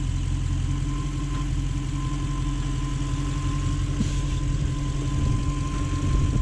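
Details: Toyota 1UZ V8 from a Lexus LS400, first start after being fitted into the body (it had already run on the engine stand): smooth, even idle with a steady low rumble and a slight rev rise near the end; healthy.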